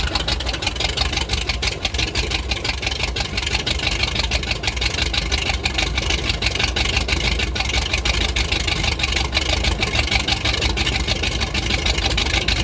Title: Rough idle after snapping throttle